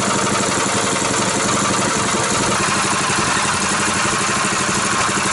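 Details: Brand-new 6.5hp 196cc Power Fist single-cylinder engine, first start: loud, steady buzz holding an even speed with no knocks or misses; normal running.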